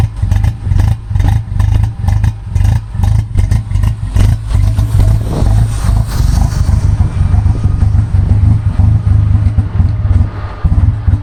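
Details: Uneven, lumpy low exhaust pulses come in irregular bursts with stumbles as the engine revs, consistent with a misfire of unknown cause.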